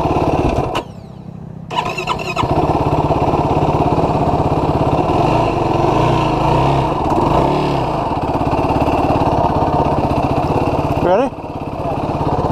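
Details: 2016 Yamaha YFZ450R SE single-cylinder quad: it takes many cranks before catching, then stutters and flares at low RPM or low throttle; a lean factory bog, fixed by adjusting the throttle position sensor so the ECU adds fuel.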